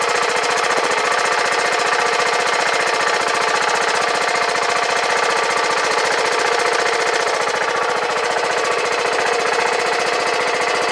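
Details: 2009 BMW G650GS single after 5 years' storage with fuel removed, new battery, throttle untouched: rapid, evenly spaced thumping at steady idle with no stray knocks or rattles. Normal idle.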